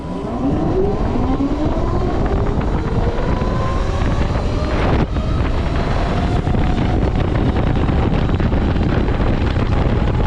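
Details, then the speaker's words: TERRA Prime electric motorcycle in ride mode 3 (dirty), wide open, fast acceleration toward ~70 mph: smooth motor whine rising through full-throttle run with wind, no grinding or clunks; normal. "So, as you can see, pretty snappy on ride mode three. Uh, I barely I rarely ever ride in ride mode three just cuz it's so fast."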